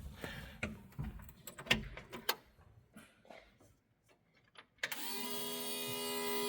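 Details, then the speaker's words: Newly installed Aces EFI Kill Shot electric fuel pump on a C50 build, key-on prime after fixing a leaking fitting: scattered clicks, then a soft steady hum; pump runs quietly and normally. "that is a pretty quiet fuel pump I think we're dry now so I think we're good"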